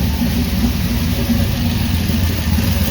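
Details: Idle right after replacing a weak fuel pump that wouldn't pass 3 psi with a new mechanical pump, metal line and frame-mounted fuel filter, now 6–7 psi with float level adjusted; smooth, even low rumble, no stumble or surging, steady fuel delivery.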